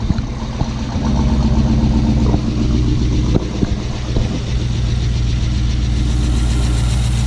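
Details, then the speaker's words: 2006 Chrysler 300 SRT8 V8 first start after aftermarket camshaft install, untuned; catches after a brief rev and settles into a steady, relatively quiet idle, no loud ticking, expected quieter as lifters pump up; normal idle. "Stoked. Sounds good. It's relatively quiet. It's probably going to get even quieter as those lifters pump up more."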